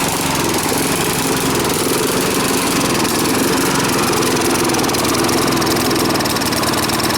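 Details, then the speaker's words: Briggs & Stratton push mower with no history, oil level found high, running with the air cleaner off before repair: uneven loping beat with stumbles and sputters; running rough and rich, cause unclear. "said it blew a bunch of black smoke and was fluttering and coughing and whatnot. I fired it up and it did punch out a bunch of smoke"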